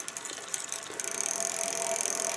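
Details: Bicycle rear freewheel clicking while pedaling: quick sharp ticking speeding into steady dense clicking as the wheel turns; pawls and springs in the ratchet may be gunked up and need overhaul and lubrication (suspected).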